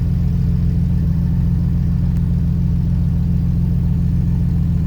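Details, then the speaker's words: Jeep Wrangler TJ six after a cylinder 3 misfire was cured with new iridium spark plugs: deep, steady idle with an even beat and no stumble or miss; normal idle. "I changed up the spark plugs with the Iridium's and it's running perfectly it's not hiccuping it's not stuttering it's driving beautifully"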